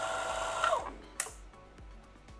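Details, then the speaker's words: DeLonghi PrimaDonna Elite Experience during repair testing, warming up from cold in a cold office, chocolate jug steam element heating: steady hiss of heating water, then sharp clicks every few tenths of a second as solenoid valves switch; normal warm-up. "kakałko, i.e. for chocolate, the jug, the steam element is heating up, you can also hear it, so we 're waiting, it's cold in the office, so the heating may take a while"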